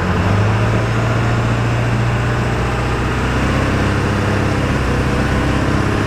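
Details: 2000 Ford F250 7.3 Powerstroke diesel on a test drive with the windows down, after replacing the front hub and bearing assembly: deep, even rumble with steady clatter while cruising, no knocks or misses; the engine sounds healthy.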